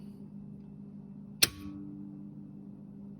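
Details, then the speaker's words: 48V Bad Boy Buggy heavy-duty solenoid, jumper-wired to battery positive and ground: one sharp click over faint hum as it energizes, but the meter shows no continuity because it wasn't connected; should be tested on ohms, reading near zero. "hear it click, but I'm not getting the continuity."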